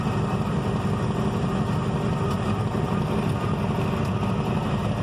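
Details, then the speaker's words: Chevy S10 with a V8 swap: the loping idle stumbles unevenly, with beats dropping out like a hit-and-miss engine. Rough, misfiring idle, cause unknown. "yeah here almost sounds like you ever heard of hit and miss motor that's what it sounds like"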